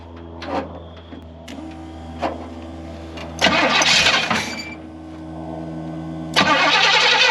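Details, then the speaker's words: Rough, lumpy V8 idle with stumbles between throttle blips on a 1968 Pontiac Grand Prix big block, first start after 15–20 years off the road; misfire traced to two plug wires swapped out of firing order. "we need to check that timing that thing's running rough"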